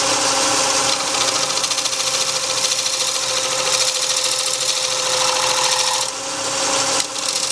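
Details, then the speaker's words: Lathe cleaning up an outer edge with a negative rake scraper, running faster than the usual 250–300 RPM: a loud, steady high squeal over harsh scraping, which means the scraper is being pushed too hard. "When you hear that squeal, means I'm pushing too hard. I'm in a hurry, which I shouldn't be."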